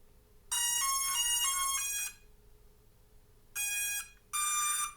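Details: Hubsan Zino Mini SE/Pro drone powered on at a desktop with a Zino Mini Pro battery after an arm/leg replacement. Clear bright musical chime, then two shorter tones after a pause; normal startup sequence.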